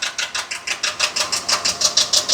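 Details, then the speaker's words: 2022 Ford F59 with 7.3 L gasoline V8 and P0300 random misfire: sharp, regular top-end ticking about six per second from the right bank near cylinder 1; technician believes it is not rod knock or valve-piston contact, possibly camshaft. "Como pueden ver, el ruido se oye en la parte derecha. En la parte derecha del banco del lado derecho De ahí comienza el cilindro número 1, ¿verdad?"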